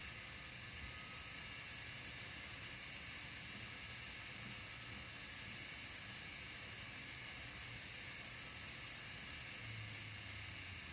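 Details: RTX 2070 graphics card cooling fan: steady airy rush with a rough, uneven rattle underneath before it winds down; fan rattle.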